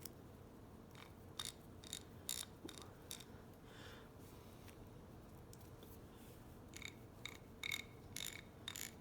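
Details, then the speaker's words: Craftsman 1/2-inch drive ratchet after cleaning and greasing: only faint, soft, evenly spaced clicks when cycled, no grating or dry rasp; healthy, well-lubricated ratchet. "now let's give it a test all right so engage it and you can't even hear that"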